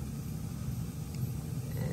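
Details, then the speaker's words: York rooftop unit gas furnace after replacing failed Honeywell ignition control module and inducer motor/control board: steady low rumbling roar with no popping or banging as gas valve opens; burner lit cleanly and heating normally. "it sounds like the gas valve opened and we lit we are now Heating"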